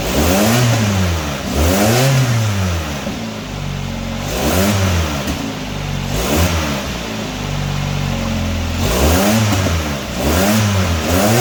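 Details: 1999 Nissan Sentra 1.6 after EGR delete and new headers installed: clean rev blips rise and fall smoothly, no rattle or misfire, much quieter than before; slight oil smoke where exhaust touches oil pan.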